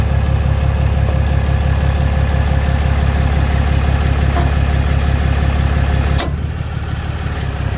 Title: popping noise ram 2500